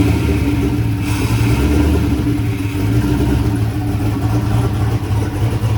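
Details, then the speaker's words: Chevrolet S10 running with a steady, even low rumble and no misses or knocks. It started rough, possibly because an earlier idle-screw adjustment upset the IAC and idle; once readjusted, the engine settled and runs smoothly. "so it kind of started weird but after I adjusted that back it seemed to be all right but yeah it's uh it's running sounds awesome"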